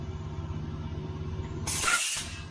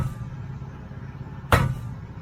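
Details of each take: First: Trailer air brake stroke check for DOT inspection, tape measure on the pushrod: low rumble then a sharp half-second hiss as brakes apply, a normal application; pushrod out to 12 3/4, about 1 3/4 inch stroke, within limits. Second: Trailer spring brake chamber struck with a hammer during DOT inspection: single bright metallic clink instead of a dull thud, revealing a broken internal power spring; base also rusted, so the whole brake chamber will be replaced.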